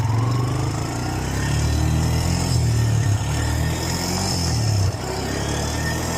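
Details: 2008 Honda Recon ATV, revived after 15+ years abandoned, starter just repaired, no brakes, ridden on the road through its electric-shift gears: single pulls steadily and drops pitch cleanly at each shift, smooth exhaust beat without misfire or rattle; sounds healthy.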